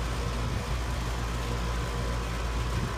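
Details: Straight Cool air conditioner condenser fan motor in Las Vegas during a tune-up: a steady, even low hum with no rattle, scrape or wobble. The motor draws 1.18–1.19 A against its 1.4 A rating, and the capacitor was newly replaced. Normal, healthy running.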